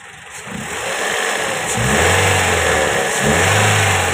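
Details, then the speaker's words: Toyota Corolla engine warm after about half an hour of running, following timing chain and gear replacement: clean revs on two quick blips with smooth return, no knock or rattle; the earlier chain knocking is gone. "जी हान दोस्तों अभी गाड़ी को start किए हुए आधा घंटा हो चुका है तो आप देख सकते हैं की इसमें बिल्कुल भी कोई किसी किस्म की साउंड जो है वो नहीं ए रही"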